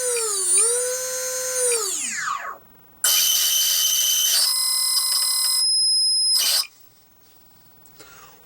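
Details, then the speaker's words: Sinbad balsa RC plane electric power system on the bench before its maiden flight: high swooping electronic whine, then a shrill multi-pitch tone that cuts off abruptly; cause unknown, owner suspects the receiver is too close to the battery or ESC. "Okay, so that is the noise I heard this morning. Now, I don't know what it is. This is free as a bird. I can only think that it's maybe this the receiver too close to something, the battery, the IEC."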